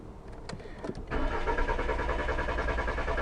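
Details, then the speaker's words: 2000 VW Jetta that stalls and then won't start for up to an hour: the starter cranks steadily with no firing, no RPM reading and code "engine speed input, no signal", pointing to the crank sensor. "As you can tell right now, I'm trying to crank it over, nothing."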